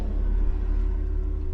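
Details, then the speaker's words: 2007 Nissan Xterra, lifted with wheels off for brake bleeding, ABS motor activated on command from a scan tool: low, fast-pulsing electric buzz holding steady, ABS pump working normally. "We're gonna activate the ABS motor, and it's gonna start, and it's actually gonna start pumping. So go execute, ABS, select the ABS motor, on, execute, and as you can hear guys, the ABS motor is pumping, so it's working."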